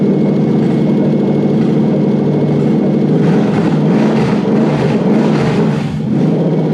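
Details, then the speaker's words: Toyota 1UZ-FE non-VVTi V8 on a swapped OBD1 ECU with immobilizer delete: starts and runs smoothly with a deep, even burble, picking up cleanly on a few throttle blips; healthy. "give it some fuel pop yep i can hear it power"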